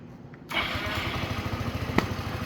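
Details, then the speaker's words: Yamaha Vino 125 after starter clutch replacement, restarted hot after a 15 to 20 minute ride and 2 to 3 minutes parked, when the starter previously just spun: a short crank, then it catches at once into a steady idle; normal warm start. "all there we go perfect so it wasn't too bad of a fix honestly it takes a little time but uh really nothing to it"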